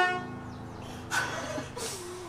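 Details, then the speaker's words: 1972 Oldsmobile Cutlass S, off the road since 1987 and stored about 33 years, first power-up; short, clear, steady honk that cuts off cleanly, the horn works really well. "the horn works really well"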